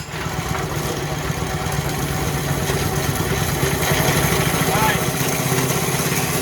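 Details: Coyote Bullet go-kart "Slimer" with a new carburetor, smaller sprocket and adjusted chain; the small single-cylinder engine putters steadily and picks up slightly when revved, with no stumbling or sputter. Normal running.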